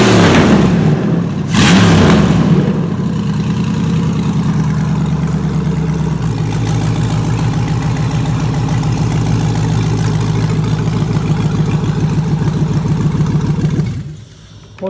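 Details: 2003 Chevy Tahoe 5.3 L LS V8 on an engine stand, stock harness and fuse box, VATS deleted, no radiator or water pump connected: loud V8 catches after cranking and settles into a steady, even, deep idle; runs healthy.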